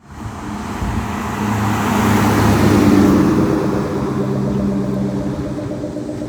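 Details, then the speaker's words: 1967 Ford F100 with 4.6 DOHC V8 from a Lincoln Mark 8, after installing new serpentine belt: steady even running, no chirp or squeal; belt squeal fixed, old bearings weren't the cause. "Put the new one in. Took a second again to double check everything. And started it up. Sounds good. I'm happy with that."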